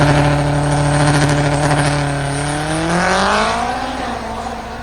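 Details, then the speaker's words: Turbo AWD Mazda RX7 with a ZF 8HP75 gearbox: engine flares and bounces off the 9,375 rpm limiter as the gearbox fails under load on a drag run; engine damage suspected. "You hear that limiter action? So this is when the gearbox died, and this is what we were spinning to. 9,375."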